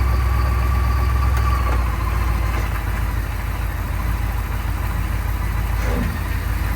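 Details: 10R100 transmission: rough, gritty grind over a deep vehicle rumble at low speeds, pointing to the transmission.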